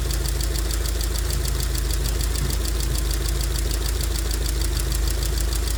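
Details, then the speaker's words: 2002 Rover 75 / MG ZT that stalled at idle and sat for a long time: a light, quick ticking from noisy valve tappets over a rough, steady idle, with a slight misfire. "but you can see the there are some valve taets there are a little bit noise to the"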